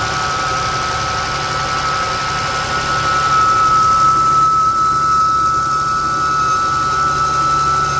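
['A thin, steady high whistle holds at one pitch over an even idle throughout; whistle on a cold start, source not yet found.']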